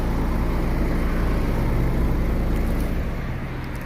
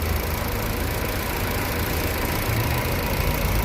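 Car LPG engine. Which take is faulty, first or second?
second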